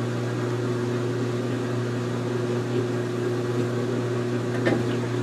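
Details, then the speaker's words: GE Infusor GTWN5050M0WS H.E. washer on an empty cycle, drain pump running after the drip-dry pause: constant low hum and buzz with no grinding, louder than the machine; working normally. "oh and I'll get a cry out that's working the drain pump is louder than the machine"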